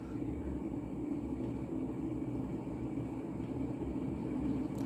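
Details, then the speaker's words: Mid-1980s Montgomery Ward Evergo 48" spinner ceiling fan, model 4E-3LW, heavy cast-iron Union motor, on high via the original solid-state control: steady coarse train-like rumble from worn motor bearings; fan otherwise balanced. "start start it up on high and you can hear how noisy those bearings are i think sounds like a train"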